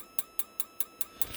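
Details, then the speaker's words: RV propane water heater under test with 12 volts applied to the orange wire: sharp, regular ticks about five per second with no flame whoosh; igniter sparks but the flame doesn't ignite and the board senses failure. "oh there you go it sensed one time it says hey the flame didn't ignite"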